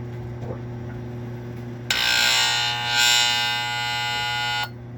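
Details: Marine Air Systems Cabin Mate air conditioner on a Mainship 40DC boat: low steady hum, then a harsh buzzing roar for about three seconds as the compressor tries to start; cause unknown.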